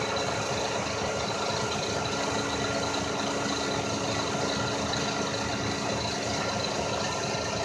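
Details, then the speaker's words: 2000 Lexus RX300 idling with a loud steady frequency-type electrical whine from the alternator, whose windings are burned, possibly shorted. "I got the 2000 rx 300 back this time just making a strange noise and it's coming from the alternator making like a frequency type noise"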